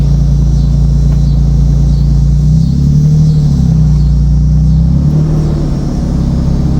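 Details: 2007 Nissan Xterra while driving, after a fan clutch replacement: a heavy, steady, low droning roar like an 18-wheeler that holds with speed. The new fan clutch did not cure it, and the source is still unknown.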